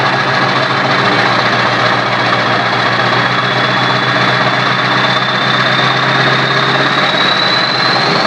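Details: Diesel at idle with the turbo not connected to the intake and a 4-inch straight pipe: a steady high whistle over a rough idle climbs slightly toward the end; healthy normal turbo whine.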